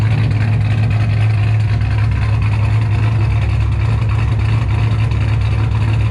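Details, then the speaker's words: 2007 supercharged Ford Shelby GT500 with L&M NSR cams and a Venomous Tuning tune, first runs after cam install on fresh fuel: deep, choppy V8 burble with an uneven lope about three pulses a second; healthy cammed engine. "she sounds amazing like straight up amazing this is having a supercharged gt500 is one thing cammed on top of it it's just like legit your dream come true right now"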